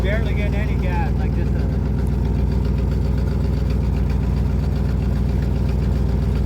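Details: 1972 Ford F250 truck, running on a replacement parts carburetor with no gas pedal: low, loping idle of about two beats a second with stumbles; it is not pumping enough gas, and a clog is suspected.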